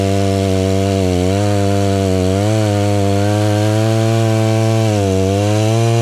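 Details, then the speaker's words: Stihl 036 just rebuilt with a new piston and head torqued to spec, cutting wood outside: two-stroke buzz dips under load as it bites and recovers cleanly, no stumble; running well under load. "alright that's running pretty well that's nice"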